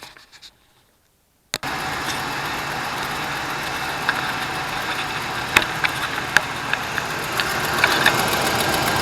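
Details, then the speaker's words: 2004 Dodge Dakota 4.7L at cold start idle, before engine flush: light quick ticking about three or four a second on the driver's side, fading after a couple of minutes running; began when worked hard uphill in summer heat. Hydraulic lifter tick. "so you can hear that sort of ticking noise and it's not that loud it's just uh on the driver's side and it actually goes away after a couple of minutes of the truck running"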